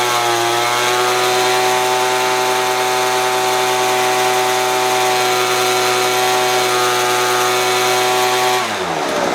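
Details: Poulan Pro leaf blower after new primer bulb, carb cleaning and carb reset to baseline settings (screws at three and two and a half turns): steady high two-stroke buzz at even speed about eight seconds, then cuts off; runs smoothly.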